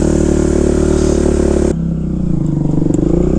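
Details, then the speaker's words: 2005 Kawasaki KX250F single-cylinder four-stroke after carb retune (a little richer on the top end), choke on, one-kick start, warming up: crisp, fairly even thump with a short blip; healthy warm-up idle. "luy there one kick so we'll let her warm up real quick and then we'll ride her around the"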